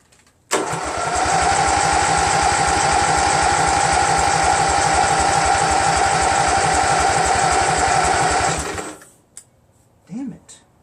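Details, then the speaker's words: Craftsman GT6000 tractor, Briggs & Stratton Vanguard 16HP horizontal-shaft engine, after swapping in a second fuel pump; starter cranks at an even steady rate about eight seconds, never catches; crank no start, no fuel reaching carburetor; third pump later worked. "see any gas trickle some gas in here you know I still don't see any gas then we see gas before"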